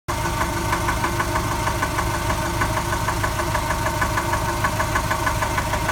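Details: Subaru 2.5 engine (rebuilt from 2.2 to 2.5) at warm idle: crisp, regular knock about three per second from the driver's side, absent when cold, appears minutes after restart, inaudible under acceleration; cause undetermined.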